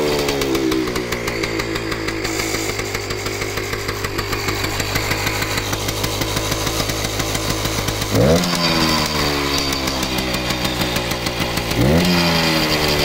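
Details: Kawasaki KV75 small single, first startup after sitting many years, repaired blown head gasket: quick even idle buzz, picks up cleanly on two short throttle blips; starts easily and runs fine.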